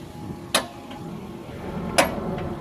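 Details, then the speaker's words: Mercedes ML55 (W163): two sharp dry clicks over a low rumble from the passenger rear side, an annoying clicking/creaking attributed to the sway bar bushings; ball joints are also a possible cause. "It's right there, it makes like a clicking noise. Right there again."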